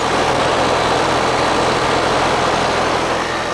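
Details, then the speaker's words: Apartment AC unit that was not working, where the condenser fan did not spin; capacitors had been changed earlier: after repair it is switched on and the fan kicks in with a steady, even whooshing hum and a faint constant tone. Condenser fan and compressor run normally. "Should run. Should run, Mama. We'll see. I got that strapped in there good. Fan kicked in."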